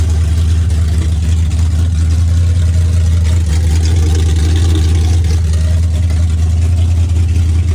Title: This was before I rebuilt the carburetor and you can hear the vacuum leak making the carb hesitate.